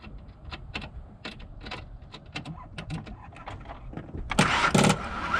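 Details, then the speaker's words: Vehicle connected to a weak battery before a UTRAI 3000A Jstar 8 jump starter is hooked up: scattered clicks at about four a second with no cranking rhythm; the battery is too flat to turn the engine over. "And that was it, not turning over."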